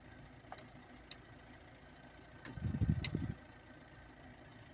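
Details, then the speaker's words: CAT 950H shovel (wheel loader) with the number two injector not working and misfiring, and no error showing on the monitor. One short rough surge tries to catch and dies: hard starting. Owner suspects a sensor. "as you can see on the monitor there is not showing any error that's a problem engine is hardly starting okay"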